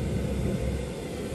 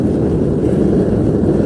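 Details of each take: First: Propane ribbon burner forge with regulator turned down to reduce fuel: low breathy roar dipping and stumbling unevenly instead of holding steady; burner sputtering from low gas pressure. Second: Propane ribbon-burner forge with regulator turned up to high pressure: strong, even, steady roar with no sputter or pulsing, unlike the sputtering at low setting; normal full burner roar.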